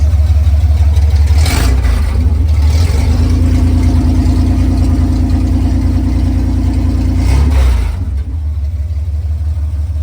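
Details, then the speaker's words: 1966 Chevrolet C10 first running, deep steady rumble, revs climb and hold a higher pitch then drop back to idle; runs and revs cleanly, awaiting exhaust work. "She runs. All right, guys, so as you guys can see, the truck finally runs."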